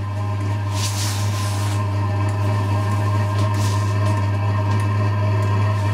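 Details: Diesel parking heater on first bench test before installation, muffler not yet fitted: steady deep hum with soft airy roar and faint slightly uneven pulse as burner starts to roar; running normally.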